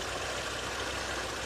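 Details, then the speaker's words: 2003 Oldsmobile Alero 2.2L Ecotec idling after cylinder 1 misfire repair with new ignition coil, controller, plugs and boots: short, steady even hum, no stumble or skipped beats; firing cleanly on all cylinders. "there you have it new valve cover ignition flow with new controller new clogs and new boots and we're back and running"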